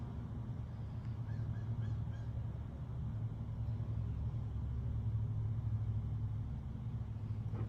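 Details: Refrigerator compressor plugged back in after connections were checked, on a unit with compressor issues: steady low mains-pitch hum, even drone, no knocks or clatter; the compressor starts and runs normally.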